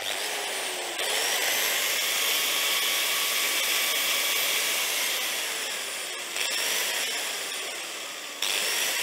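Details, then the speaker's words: Hitachi G10SR3 angle grinder with intermittent running, cord wobbled: high whine drops out and returns in sharp jumps; brushes first suspected, then judged a broken wire in the power cord. "that sounds like a broken wire let's take this cover off and see if we can find out what's going on"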